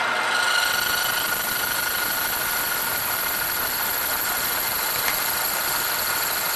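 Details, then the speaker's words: Lathe turning the ball end of a model naval deck cannon barrel. A thin, steady high-pitched squeal rides over the running noise: tool chatter during the cut. Remedy is letting the machine coast to a stop, or jogging or turning it slowly by hand. "Now, if you can hear the squeal, it is chattering, and the best way to take that out is to let the machine coast to a stop."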